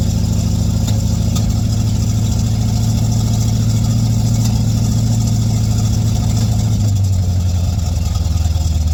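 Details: 1959 GMC truck with rebuilt Holley carburetor running from the freshly cleaned factory fuel tank: steady, even low idle with a smooth rumble settling slightly lower near the end; engine running cleanly.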